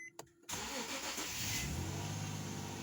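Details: 2008 Infiniti G35 after repairing cylinder 4 misfire (P0304) and clearing codes, no check engine light: engine catches after brief crank and settles into an even steady hum, no stumble or skip, runs smooth.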